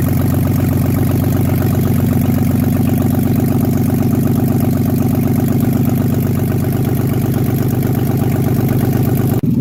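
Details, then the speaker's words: BMW engine on its first start after an overhaul with an M50 intake manifold conversion, with oil burning off the headers: fast light ticking over a smooth idle, tracking engine speed; dry hydraulic lifters still pumping up. "but yeah I mean it fired up it runs the lifters are noisy as hell but that's because they're they're bone-dry but it started"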